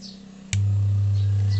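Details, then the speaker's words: Older non-Bluetooth powered speaker, power button pressed: click then loud steady low hum held constant, speaker cone pulled backward; amplifier hum, cause suspected, not confirmed. "Nah jadi seperti itu teman ya jadi dengung dan Speakernya itu e ketarik mundur ya Coba perhatikan"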